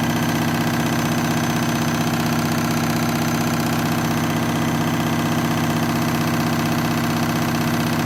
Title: Washing Machine noisy spin cycle